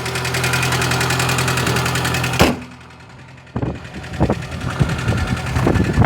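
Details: 2008 Chevrolet Niva petrol engine at cold idle: fast, even tapping knock that also comes and goes on the road, increasingly often; owner guesses a valve, cause unconfirmed.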